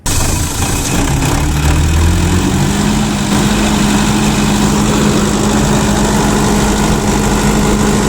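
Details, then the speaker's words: Tata diesel generator starting and running after a loose cable at the MCB-to-toggle-switch feed to the controller was tightened; catches and settles into steady even drone with low hum; starts and stops normally. "So DG start and stop బాగానే అవుతుంది."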